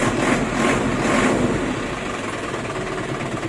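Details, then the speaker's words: Isuzu 4JB1 diesel truck idling after clutch repair: even idle with a slight swell in revs, no whine or rattle. The very loud transmission noise is gone; only a small clutch height adjustment remains. Normal idle. "Wala na yung, yung ingay ng ano, sa transmission na, na sobrang lakas, no? Wala na yung tunog, no?"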